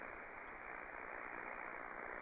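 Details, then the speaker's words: Omni VII transceiver: steady hiss with crackly pulse noise returns when DSP bandwidth drops to 2500 Hz and radio auto-selects 2.5 kHz roofing filter; noise blanker ineffective, fixed by manually selecting 6 kHz roofing filter. "so so now we're at 2800 htz 26 Still In noise 2500 HZ and the noise came back"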